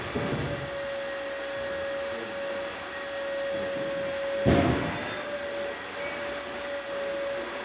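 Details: Gaggia espresso machine after replacing a pump that had zero pressure: faint steady even hum with no rattling or surging, water flow fading as boiler reaches temperature; pump now working correctly.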